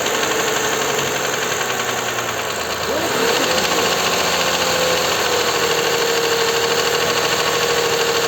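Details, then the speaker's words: Toyota Highlander U50 3.5 2GR-FKS, 93,000 km, near-new and leak-free: dull regular knock over idle quickening as revs rise; dealer blamed hydraulic lifters, mechanics suspect connecting rod, heard from the oil pan. "двигатель почти новый пробег какой там пробег 93 тысячи пробег на машине друзья совсем новая глушитель болты все это новое нигде потеков нету он бирки этикетки и она вот так вот стучит друзья одноразовый двигатель"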